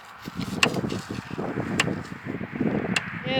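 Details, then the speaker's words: 120-mile electric fence charger being tested on pasture: sharp snapping clicks about every 1.2 s at an even pace, showing the energizer is pulsing normally. "Is popping like crazy. which is good. You want you want the fence box itself to be popping."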